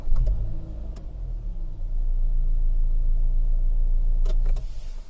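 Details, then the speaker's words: 2015 Honda CR-V EX, first start after replacing a dead battery diagnosed by the dealer: starter turns briefly, engine catches and settles into a steady, even idle; no-start cured by new battery. "and after replacing the battery it just starts like that so if you have same issue but I think the problem is with the battery and you might replace it"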